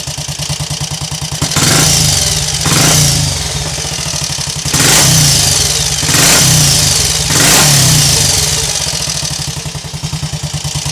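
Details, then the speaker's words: Triumph Scrambles Cub replica single, warmed up, with a recently fitted silencer. It holds a steady idle thump, gives crisp rising throttle blips, returns cleanly to idle and burbles on the overrun. When warm it is less prone to cutting out on throttle opening; it runs healthy. "I don't know about anybody else but I could listen to this thing all [Music] day"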